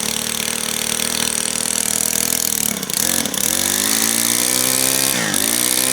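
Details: Brand new Stihl FS91R two-stroke string trimmer, primed and started on first pull; buzzy idle sags and nearly stalls twice before recovering, idle speed set too low to keep it running.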